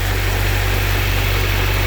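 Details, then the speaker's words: K-swapped Honda Civic, warm after 10-15 minutes while bleeding coolant: steady, even idle hum with a low drone and no knocks or misses, slightly quieter; slightly rich, oil pressure 47, oil temp 80, check-engine light on for IACV. "sounds good now engine sounds a little quieter"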